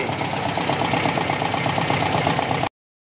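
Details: Toyota Tamaraw FX petrol engine that had cranked without starting, now running after the battery was charged and power was restored to the ignition coil: steady idle with light, even ticking and no misses; normal idle.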